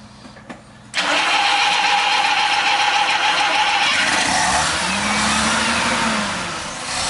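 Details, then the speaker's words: 1974 Mazda RX4 rotary, all original with 20,000 miles, after fix: cranks and catches after a second, then steady buzzing run with light rev, misfire gone; slight idle tremble remains until electronic ignition is fitted. "leave it running misfire gone bro that's what I was done misfiring like it had a little sh well now I can't even call that a that's a tremble like it was shaking a little bit at idle"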